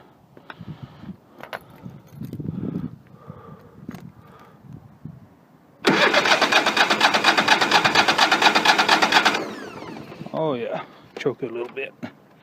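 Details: Craftsman 3000 GT series rider with Kohler 23 hp engine, after replacing a starter that only clicked: starter spins it over quickly for a few seconds and the engine catches cleanly; healthy start after repair.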